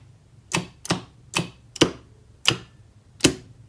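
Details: Star/delta forward/reverse starter on an FX5U PLC, contactors tested during interlock checks: seven crisp, sharp clacks at uneven intervals, clean with no buzz or chatter; contactors pulling in properly.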